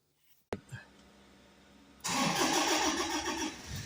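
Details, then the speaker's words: Toyota Hilux diesel that cranked but wouldn't start, fixed by refuelling with 13 L of diesel after running out (fuel gauge/tank float faulty, still reads half): one starter click, short pause, catches right away into steady idle clatter; healthy start. "So ito na mga ka-automotive i-try natin siyang paandarin kung aandar na ba to na repilan natin siya ng diesel kung ba ang problema."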